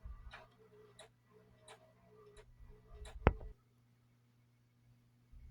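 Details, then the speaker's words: Federal Signal Smart Vector light bar, rotate feature running: light, regular tick about every 0.7 seconds over a faint low hum; one pod is making noise, cause not yet found. "That's the rotate feature. One of them's making a little bit of noise. I'll try to figure out what that noise is."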